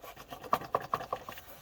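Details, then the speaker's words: Citroen Berlingo Multispace, engine bay: exhaust heat shield with snapped top bracket shaken by hand, giving light tinny clacks about four or five a second; loose heat shield rattle, one of the car's under-bonnet rattles. "It looks like it's come away quite bad. Show you it down there, you can see it rattling."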